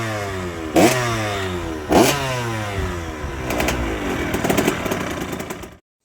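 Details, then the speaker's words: 2005 KTM SX85 two-stroke after a full rebuild and an exhaust gasket replacement for an earlier problem. Two crisp throttle blips, then a sustained higher rev with no hiss or popping; it sounds much better. "So, I uh put a new gasket on. And now, let's try it. Sounds much better."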